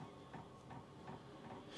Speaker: I can still hear the clicking I don't know I guess that's what it's going to be click click click I can count clicks when I want to go to sleep